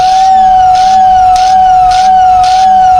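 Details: 86-year-old Lionel whistle, after lubricating both motor shaft ends, brushes not cleaned, relay jumped: a strong, steady whistle holds its pitch with a soft rhythmic warble from the spinning fan; it sounds properly.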